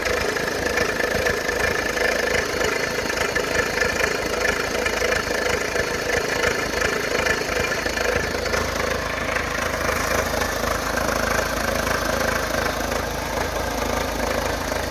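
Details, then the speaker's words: Fiat Palio at idle: rough, rattly idle with fast irregular clatter and faint whirring, noise disappears when accelerating; caused by an overtightened timing belt straining its tensioner, to be refitted with the correct tool. "e quando se acelera o barulho some tá e na marcha lenta fica esse barulho horrível"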